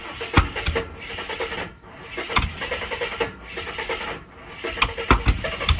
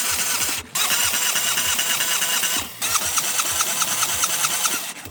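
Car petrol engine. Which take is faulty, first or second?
first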